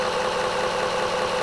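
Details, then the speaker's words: Homemade magnetic drum delay line memory prototype with 3D-printed gears meant to be quieter, drum spun up: loud, constant whirring hum with steady mid-pitched gear whine, no speed change; normal running, just noisy. "Okay, so the drum has now spun up, and it's incredibly loud, and it's incredibly scary too."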